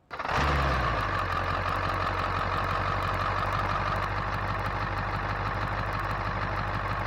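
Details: 2000 Ford F250 with 7.3 Powerstroke diesel, first start after its failed turbo was replaced with a KC Turbos Stock Plus, checking for oil leaks at the turbo: catches quickly, steady, even diesel clatter, no surging, whistle or miss; no oil seen, healthy idle.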